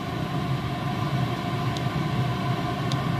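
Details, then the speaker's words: Chinese diesel heater after a broken glow plug repair and de-coke, turned down after 14 minutes at full power. Even combustion roar and fan hum ease off smoothly with no sputter or popping; it winds down properly. "so there you go you can actually hear that that's slowing itself down really nicely I couldn't be more happy"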